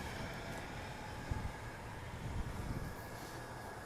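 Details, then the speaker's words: 2002 Ford F-150 Lariat FX4 4x4, 5.4L V8 Triton, freshly rebuilt transmission: low, steady, even rumble with no knocks, ticks or misses. Runs quiet; healthy idle. "Got a nice 5.4 V8 Triron in there. The battery's not too old. As you can hear, it runs quiet."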